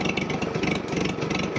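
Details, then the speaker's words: Revived Farmall H four-cylinder hot restart at idle after a two-mile, 10-minute run, radiator warm so the thermostat works, running rich and smoking black: it catches and settles into an even, steady thump with no misses or knocks. A normal idle. "radiator is it's not hot but the radiator is warm so our thermostats are all working give her a rip mate hot starts at idle hell yeah"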